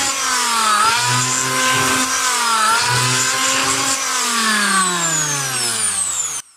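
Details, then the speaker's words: Electric planer after repair, belt reconnected: clean even hum rising and falling with speed, no crackle from brushes; sparking gone, ready to use again. "yan guys Okay na siya nawala na yung spark niya pwede na natin ito gamitin ulit"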